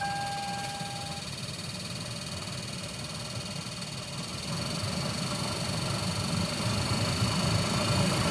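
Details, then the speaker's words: 2007 Toyota Camry blower motor fan, heat on high, after disassembly and reinstallation: steady high thin whine over rushing air, growing louder, worse than before the repair attempt; blower motor whine. "And unfortunately, it sounds like it's gotten worse. So looks like I have made it worse trying to fix it, unfortunately."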